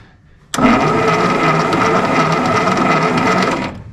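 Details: 1952 Willys pickup engine sitting since 1991, starter jumped at solenoid and coil fed by jumper: about three seconds of fast even cranking, no firing or catch; crank no start, old fuel suspected.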